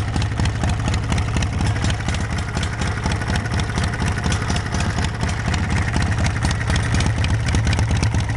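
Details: Small engine on a homemade tractor running through a new homemade 1-inch square tubing exhaust sealed with exhaust putty; steady low thumping beat near two per second, even idle, no leaks, knocks or rattles; normal running.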